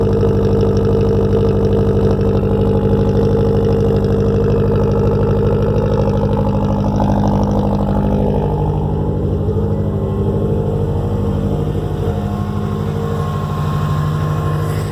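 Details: Subaru boxer engine idling steadily at a fast idle on first cold start after reinstalling the headers, unstarted for four days; deep, slightly lopsided burble, no knocks or ticks, healthy rumble.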